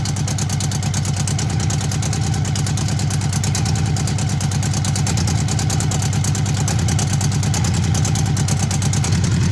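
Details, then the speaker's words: Honda CB750 barn find, 65,000 miles, sat outside for years, rattles elsewhere: four-cylinder ticks over at idle with a fast, even, smooth beat and no misses or knocks, like a sewing machine; healthy idle. "I'm amazed at how smooth the bike is running at tick over. It is almost like a sewing machine. Well, it sounds like one anyway."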